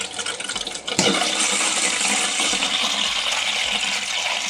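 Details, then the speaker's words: Toilet after fill-valve replacement to fix constant running, with the water slowly turned back on. Steady hissing rush of water starts after a second and runs evenly as the tank fills through the new valve. Normal refill. "All right, once you get this nice and snug against the fill valve, you want to slowly turn your water back on."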